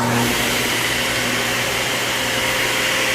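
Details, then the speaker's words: Ridgid TS3650 table saw, new to the shop, on a shared circuit (dims lights at start): smooth even motor whir, soft steady hum, no rattles or rubbing; very quiet compared with the old Craftsman, running fine. "but I mean that is just quiet listen to that I don't want to get too close but listen to that it's amazing"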